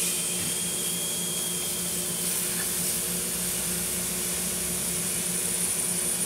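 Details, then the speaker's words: Mercedes-Benz bottomed-out air suspension strut, pressurised with an air nozzle and sprayed with soapy water: continuous sharp hiss as air leaks badly where the rubber bellows meets the metal. "oh yeah right there between the metal and the and the rubber it's leaking being pretty bad"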